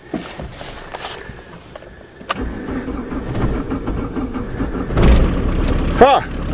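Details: Jetta-engine diesel conversion van, sat since fall, cold start after priming the empty injector pump by hand: quiet stretch, then cranks, catches right away and settles into a clattery cold diesel idle; normal start.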